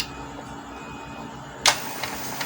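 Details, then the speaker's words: Epson L120 printer after repair, reseating the carriage flex cable, powered on: low steady hum, one sharp click and light ticks as the carriage moves, no hard slamming at either end; carriage now moves normally. "tidak nabrak kanan kiri lagi ya, sudah bisa jalan seperti biasanya, normal."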